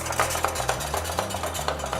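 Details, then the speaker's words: Covington 761 tabletop wet belt sander running with a 3 in × 41½ in belt before tension and tracking adjustment: low motor hum with a steady pop about four times a second as the loose belt slaps, mistracking far right on the bottom roller. "so you can see our belt is pretty loose you can hear it popping around a little bit maybe and you can see it's way over to the right it's not tracking correctly on this bottom roller here"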